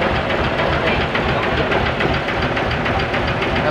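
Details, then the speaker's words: Diesel dump truck that would not start, so the starter was suspected and removed, idling after starting: a steady, even clatter with no stumbles or misses. The cause was a weak battery, not the starter; normal idle. "Ah tapos na tayo umandar na ah Mahina lang ang baterya kaya ito'y hindi umandar"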